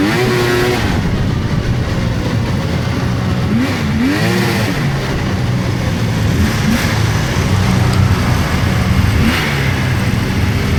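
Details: 1999 Polaris XCR700 triple two-stroke snowmobile, after adjusting belt deflection on the adjustable clutch: revs up and settles back cleanly at idle and under throttle with no belt squeal. Jetted fat; clutch engages below 4,000 rpm.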